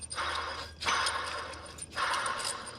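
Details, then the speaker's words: 2012 Subaru Outback 3.6R, noise at idle; tensioner pulley bearing already replaced. The hand-spun idler pulley gives a harsh, gritty rasp that fades as it slows: worn idler pulley bearing, replaced with a new pulley. "it was making some noise today at idle and sounded like one of the pulleys I've already replaced the bearing in the tensioner pulley but it looks like this idler pulley is the culprit now"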